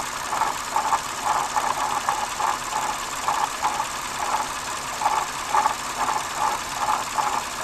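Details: Lexus GS350 (2006–11): quick, regular light ticking rides steadily over the running engine, a mechanical tick from the front of the engine; owner suspects a bad water pump, source unconfirmed.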